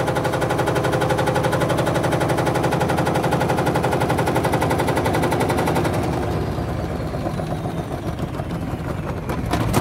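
Rapid hard thumping about four per second through the spin, then easing off and rattling; badly unbalanced load making the machine jump.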